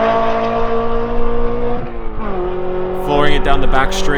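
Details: BMW E9x M3 V8 with titanium exhaust on a track-day flyby, before the transmission problems began: strong full-throttle pull with a steady climbing tone that drops on lift-off. Sounds healthy; normal full-throttle run.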